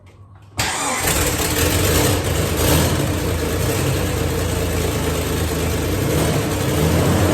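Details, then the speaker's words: Petrol car started after sitting untouched 5 years on 5-year-old gas; fires up and settles into a loud, raspy, puffing idle from a terrible exhaust leak, otherwise runs good. "started well aside from a terrible exhaust leak which I will fix it actually runs good uh even though the gas is in it's 5 years old it runs good"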